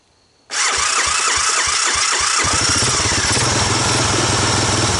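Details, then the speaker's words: 1985 Honda ATC250ES Big Red single-cylinder after carburetor swap and adjustments, air box on, choke off: cranks, catches, slightly lumpy, rough idle; owner suspects it needs break-in and more fuel through the carb; rough running after start. "so got a little west of that boopy to it I the engine probably what it hurt is to break in a little bit run some more fuel through the car seem a little better"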